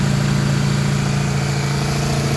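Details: Honda 1200 Goldwing after the no-start was traced to an unplugged red connector and fixed: steady, even low idle with a smooth unbroken hum and no misses or knocks; runs healthy.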